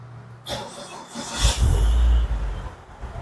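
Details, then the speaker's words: Gen2 car restarted after rewiring with the ECM relay installed; a brief crank catches at once and settles into a low, even idle with no stumbling, a normal start. "Tengok engine berpusing ke belting tu. Tengok engine hidup."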